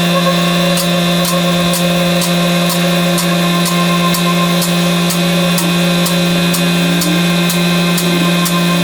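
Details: BMW with petrol M44 engine, exhaust back box hanging off: loud, steady idle with a coarse, chuffing drone and tractor-like clatter, sounding like a diesel; exhaust blow, new back box needed.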